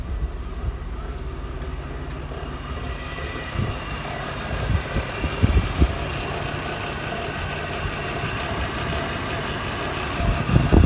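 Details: BMW E46 petrol engine idling unevenly with irregular low thumps and stumbles, a single-cylinder misfire on cylinder 3, code P0303.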